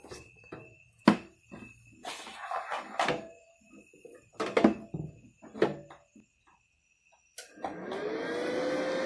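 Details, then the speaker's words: Benz BZ8914 MMA-120A IGBT welding machine, cooling fan on stock 24V before being stepped down to about 12V: clunks, then a rising whoosh settling into a loud steady roar, fan too fast and noisy. "ini sudah nyala Jadi untuk kipasnya agak berisik ya ini kalau malam-malam ada pengelasan ini berisik sekali"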